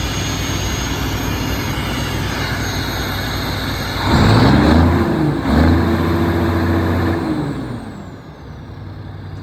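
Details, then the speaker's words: Mack MP8 diesel with turbo, just after its first start following a long repair: loud open-exhaust rumble with a climbing whistle as revs rise, then holding steady and easing off; pulls smoothly and sounds healthy. "this thing sounds really good actually right listen to that"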